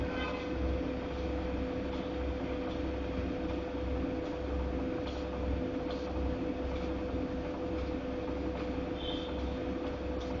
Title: Godrej fully automatic washing machine making noise 3